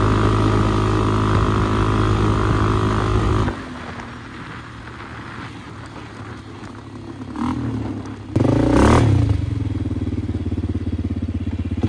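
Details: 2001 Polaris Sportsman 500 HO after flood repair, test ride: single cylinder revs, drops to quiet idle, picks up cleanly, smooth and healthy through loud aftermarket muffler; AWD and cooling fan working; primary clutch engagement delayed.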